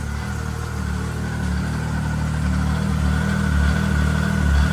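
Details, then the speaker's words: Arctic Cat 7000 Snow Pro snowmobile, cold start: starts right up where it previously cranked and cranked without starting; low, steady, even idle rumble, no misses, building slightly while warming up before throttle use. "See? Starts up great. Like before, it would have a super hard time to crank over."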